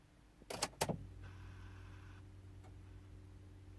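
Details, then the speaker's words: 2005 Land Rover Freelander TD4 diesel in limp mode, code P1260: clicks at key-on then a faint steady low hum from the in-tank fuel pump; the tank pump is suspected to be failing. "it seems that we have a problem with the with the fuel pump in the in the fuel tank"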